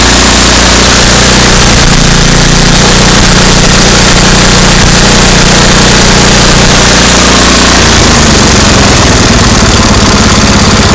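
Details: MTD 8 hp two-stage snow blower, Tecumseh engine sat about 10 years, after carburetor work and backing the bottom mixture screw out: steady even idle with smooth low putter, no misses or hunting; normal idle, slight sputter only when pulling up to speed.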